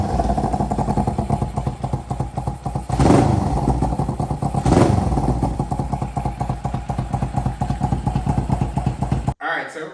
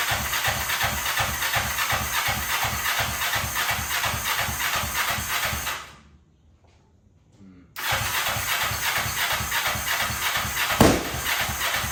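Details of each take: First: 2003 Kawasaki Ninja 500R twin swapped into a mini bike frame after retiming, on dual carbs, after a first carb tune: even steady idle, two quick blips falling cleanly back; idles and revs decent, needs more tuning. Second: 2003 Kawasaki Ninja 500R twin swapped into mini bike frame, just retimed, dual carbs, cold on chokes, first start: ragged uneven beat, dies away a moment then catches again; revs fine but idle set too low.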